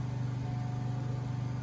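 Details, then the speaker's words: Lincoln Mark VII in air suspension diagnostic mode, testing the rear first: steady low electric hum with a slight even pulse as the compressor runs and raises the rear; compressor working normally. "now the pump comes on I remember correctly it's going to test the rear first and you're going to see the rear going up don't worry it's not going to overextend it's just doing its tests it'll run as long as it has to and then it'll Purge"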